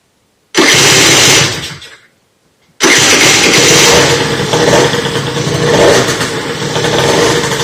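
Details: Motorhispania RX50 Racing (Peugeot XR6) two-stroke moped, started on choke after side stand replacement with cooling still to sort: brief burst that dies, then restart into buzzy, wavering, surging idle; runs rough and needs choke, cause unknown.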